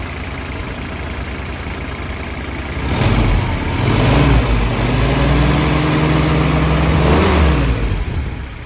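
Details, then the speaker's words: 1942 Willys MB after service and oil change, oil pressure good and at running temperature: quiet at first, then engine picks up and settles into steady, even low rumble with no knocks or misses; normal idle. "know pressure is sitting nice she's running good temperature"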